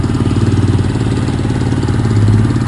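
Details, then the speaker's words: Fly 135 single-cylinder after crankshaft bearing replacement and engine reassembly: smooth, even idle with steady low beat, the previous tec-tec-tec tapping gone — normal idle. "vamos testar a enviada para ele um redondo não tem mais aquele barulho tec tec tec"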